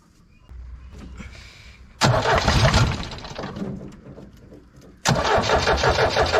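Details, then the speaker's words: Abandoned, scrap-condition Tempo Trax 4x4, restored to running order: cranked on a fitted battery, the diesel catches quickly into a steady clatter and settles to an even idle; normal start, engine judged problem-free. "കാരണം വണ്ടി നമ്മൾ കൊണ്ടുവന്ന് battery വെച്ച് crank ചെയ്തപ്പോൾ തന്നെ വണ്ടി പെട്ടെന്ന് തന്നെ വണ്ടി സ്റ്റാർട്ട് ആയിട്ടോ."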